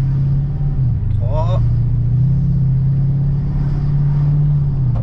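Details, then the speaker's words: Ford Mustang 4.6L V8 automatic with a suspected gearbox fault, transmission at operating temperature, road test. Steady low drone with clean pitch steps up through the gears, no flare, slip or clunk: normal automatic transmission upshifts. "Donc ça veut dire que la boîte de vitesse, elle est pas si mauvaise que [Musique] ça."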